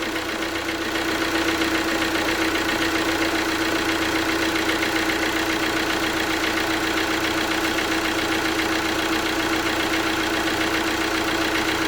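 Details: Alfa Romeo Giulietta diesel after water pump failure rebuild, cap off bleeding coolant, warming up: smooth even idle with steady mid-pitched hum, no knocks or misses; healthy, later drove fine.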